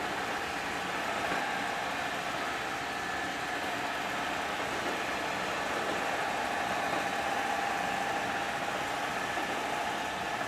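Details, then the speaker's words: First-ever test run of the newly built Pearl, gearbox run as if on a dyno with a temporary clutch/brake lever, at top speed (about 1794 read): steady, even whirr with a faint constant tone, no knocks, clatter or whine; gearbox running normally. "okay here's what we've been waiting for top in what's top end going to [Applause] be boys that sound good don't it"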